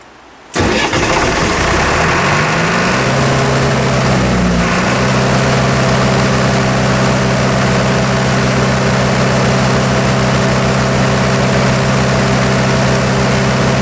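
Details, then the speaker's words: Military surplus diesel generator after years of storage, new flex radiator hose, battle short switch bypassing over-voltage trip; starts and settles into steady even low drone, no misses or knocks; after 15 to 20 minutes gauges normal and thermostat opened. "all right I've had the engine running for probably 15 to 20 minutes now and I went ahead and checked all the gauges everything looked normal"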